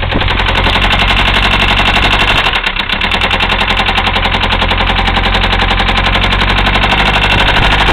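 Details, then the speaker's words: 1974 Mercedes diesel, glow plugs not working, idling after starting: a heavy, loud knock hammering several times a second, well above normal diesel clatter, a worn rod bearing (rod knock). "oh this Smo there you have it 1974 Mercedes with a rod knock still running"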